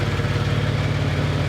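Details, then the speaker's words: Ford F-150 rebuild, first start after a new frame install with some items still unhooked; starts right up, even low burble with regular firing pulses, no misses or knocks, normal idle. "so let's turn the key and turn it over oh wow let's start right up there we go wow that's awesome"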